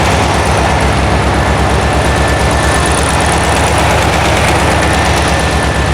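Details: 1972 VW Karmann Ghia, air-cooled flat-four, first run after sitting for many years, carb choke just adjusted: a loud idle whose beat stumbles and surges unevenly; sounds good but a little jumpy, and the valves have not been done yet.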